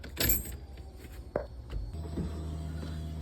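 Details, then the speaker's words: Ford Mustang Foxbody, key on, engine off, recorded at the fender well by the ECU ground quick-disconnect: click then faint steady electric hum with thin high whine; fuel pump running normally, stops when that ECU ground is unplugged. "hopefully you can hear the pump on and if we disconnect this it's that simple"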